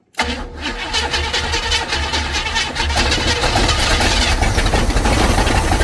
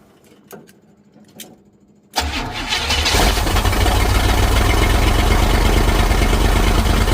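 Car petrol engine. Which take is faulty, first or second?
first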